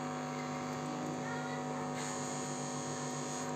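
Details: Audio amplifier with a humming problem: steady low mains hum with buzzy overtones that stays even with the volume turned fully down.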